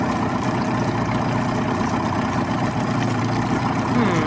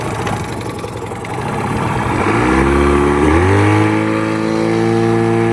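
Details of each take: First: 1989 Yamaha 25hp outboard on flush water with the cowl on, after reinstalling a flipped fuel pump diaphragm (fuel strainer has a hairline crack). Steady, even low-speed two-stroke drone with an unbroken beat; running normally. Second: 1989 Yamaha 25hp outboard plug test: new plugs, started and run at wide open throttle, then killed. It climbs fast to a steady high buzzing wail; the hot plugs showed a lean mixture.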